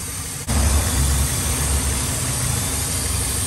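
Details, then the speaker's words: 2002 Ford Explorer with rough running and lean codes P0171/P0174, fuel trims high at idle; low steady idle rumble with a faint constant hiss toward the back of the intake from a cracked, holed vacuum line. "all right so definitely hear something back here uh let's see here so this this line right here okay this is totally cracked"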